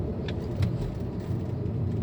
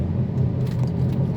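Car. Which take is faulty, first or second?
second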